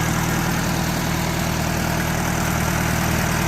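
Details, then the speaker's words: Farmall A antique tractor, first run after about two years sitting, points set at 18 thousandths, timing not adjusted: even, steady low thump about three beats per second with no misses or knocks; idling smoothly, normal. "Sounding good. Points are set at 18 thousandths."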